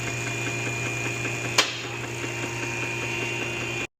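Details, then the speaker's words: 2025 Toyota Camry, fast steady rhythmic churning that keeps time with the front passenger wheel. Suspected worn front wheel bearing, not confirmed; a scuff mark on the wheel suggests the car hit something. "2025 Camry rotational noise coming from the front passenger wheel. So, what I'm actually doing right now is I am listening for a bad wheel bearing."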